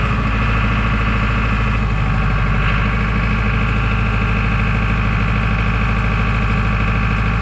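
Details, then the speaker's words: John Deere 5410 tractor that lost all power in the field: loud, heavy diesel idle on hand throttle with an uneven, labouring pulse that sags and recovers; idle speed dropping, algae found in the fuel, initially suspected fuel filter. "I was coming up through the field on the last trip, only about probably 100 yards from the house, and I lost all power. And we'll see if it'll start today. Starts up. Hear that losing power?"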